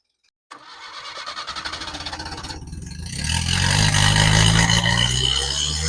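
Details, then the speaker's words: 1975 SEAT 850 first started since the 1990s, after about 20 years sitting, with the fuel pump, spark plug wires and coil replaced: catches after brief cranking, then settles into an uneven, lumpy idle with a ragged exhaust beat; rough running. "it does sound kind of rough, but I mean this is a 20 years old sitting car."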